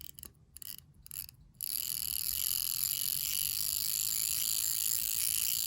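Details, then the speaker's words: Poljot Soviet/Russian mechanical alarm wristwatch with the alarm mainspring wound: a few faint clicks, then a sharp high-pitched rattling buzz as the hammer strikes the piece repeatedly. The alarm works as it should. "that is the hammer and what happens is that hammer actually bangs up against this piece right here and what happens is it gives it that clangy clangy clanging sound"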